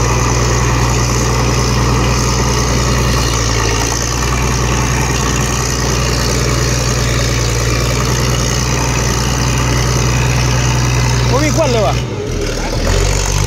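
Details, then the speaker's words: Diesel engine idling, not yet fully hot: steady smooth low rumble, no knocks or misses, much softer than before and now no smoke; normal idle. "เสียงนิ่มกว่าเดิมเยอะเลยครับผมคิดว่าน่าจะจบนะไอ้ปัญหาควันๆนี่เนี่ยตอนนี้ไม่มีควันเลยครับ"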